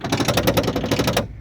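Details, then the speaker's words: 1967 Mercury Commuter station wagon rear door power window, powered from a jump pack: the motor whirs with quick even ticking, about eight per second, then stops. It turns freely because a regulator linkage piece has come off. "but there's a piece of linkage that's actually come off in there I can get the glass to go down"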